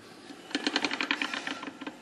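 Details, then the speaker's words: Lunch-box style mechanical locker in the AMC 20 axle of a 1982 Jeep CJ8, driver side heard as the wheel is turned on a lift; quick run of sharp metallic clicks, about a dozen in under two seconds; normal side gears ratcheting. "so that's up close and here you can hear the driver side it makes a lot as you're hearing a lot better the acoustics are better in here"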